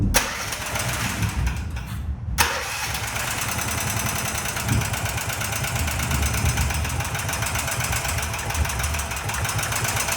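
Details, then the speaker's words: Predator 420 small engine, about a year old, that backfired with a loud pop on cranking and wouldn't start, heard after a valve lash adjustment: it cranks, catches and idles roughly with an uneven top-end knock; owner says it doesn't sound right. "Not what it's supposed to sound like, so it doesn't sound good."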